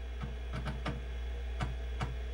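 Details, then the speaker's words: Amstrad PC1512 DD, powered for the first time in 20+ years: sharp, irregular clacks, about seven in 2.5 seconds, over a steady low hum, like hammering nails. The floppy drive seeking normally while loading a game. "wow that floppy drive sounds really amazing almost like someone hammering the nails with hammer but i'm really excited"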